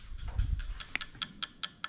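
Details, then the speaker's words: Toyota JZ VVT-i engine harness on ECUMaster Classic ECU (IS200 swap), engine off, injector test output: crisp, evenly spaced ticks about five a second as the injector clicks, normal injector operation. "you can hear the injector clicking away"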